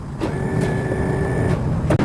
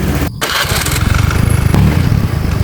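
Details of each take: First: Honda Click 110i fuel-injected scooter, previously crashed: fuel pump heard running, engine light shows, starter cranks in short bursts but won't start; battery swapped, voltage found dropping to about 10 V; cause not yet confirmed. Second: Honda Click 110i fuel-injected scooter, previously crashed, after new fuel pump fitted: steady even idle with no misses; scanner notes worn engine demanding more fuel; now idling normally.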